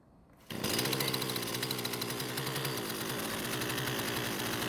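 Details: Husqvarna string trimmer that stalled after the trigger was released, now fitted with a new coil and carb refitted, shaft and handle off, no load. It fires, screams at high revs, then keeps running after release from just over 50% throttle, so the stall is not reproduced unloaded.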